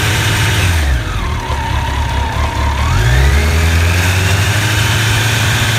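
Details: Honda CBR1100XX idling with a busy, loose metallic clatter over the low rumble; cam chain rattle from a worn cam chain tensioner, fixed by replacing the tensioner.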